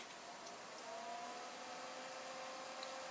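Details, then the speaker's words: PC with NZXT Sentry Mesh fan controller: ten-year-old 80 mm Vantec Stealth quiet fan spinning about 2,000 rpm, steady airy whoosh with faint mid-pitched whine; healthy but adds noticeable noise, temps barely change. "fan number two unfortunately is an 80 millimeter vantec stealth quiet fan from 10 years ago but look how much noise it adds"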